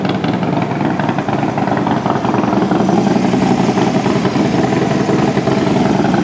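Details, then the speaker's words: Harley-Davidson FXD35 V-twin after an engine rebuild with a Thunderheader exhaust, on its first startup: a loud, lumpy, steady idle. Brief valve-train noise from empty lifters at the very start quickly went away; the engine sounds healthy. "all right well first startup sounds pretty good"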